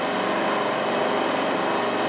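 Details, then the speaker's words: LT230 transfer case on a test bench, driven at speed: steady hissy whir with a thin high whistle on top, unchanging; noise from the rear, suspected at the newly fitted back bearing or its shield touching the casing, unconfirmed. "There's something noisy about the back here."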